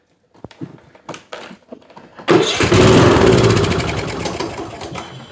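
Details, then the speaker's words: Troy-Bilt riding mower, Kohler Courage engine, primed with 50:1 gas into intake: a few clicks, then it catches, runs rough and fades out; runs briefly on primer fuel then dies, pointing to a carburetor problem before fuel flow is checked. "Runs and dies. What's it tell you? We got a carburetor problem."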